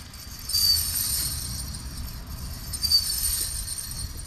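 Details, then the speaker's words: 2007 Honda Fit on test drive, noise from left side: high thin squeal in bursts about every 2.5 seconds while rolling; judged brake-related, not differential; worn front pad warning strip contacting rotor; brake assembly disassembled and pads replaced. "so this most likely sounds like something one hundred percent break um break related and so a i'm suspecting a complete disassembly of the brake assembly would be in order to address this particular issue"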